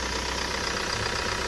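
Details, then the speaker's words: Mahindra Scorpio diesel prepared with genuine Mahindra parts, oil checked good, water only in the cooling system, starts on the first crank: steady, even diesel idle clatter with no irregular knocks, puffing or back-pressure from the engine; healthy normal idle. "গাড়ির sound শুনুন, গাড়িতে খুব সুন্দর sound আছে, কোনো problem নেই।"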